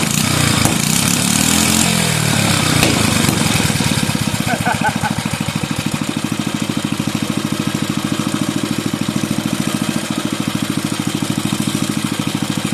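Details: Bolens 5 rototiller's 5hp Briggs and Stratton engine after repairs and reassembly, fires up easily: catches and settles into a quick, even single-cylinder idle with no misses or knocking; not burning oil or smoking, a healthy little engine.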